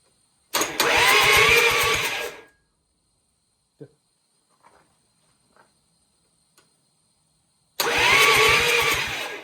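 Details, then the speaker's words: Freshly rebuilt Perkins 4.108 engine in Gehl HL4600, first test with oil filled, starter jumped from an 88Ah 750A battery: two bursts of steady cranking with even compression pulses, no binding; engine turns over freely, oil pressure not yet checked. "turns over. It turns over. It turns over."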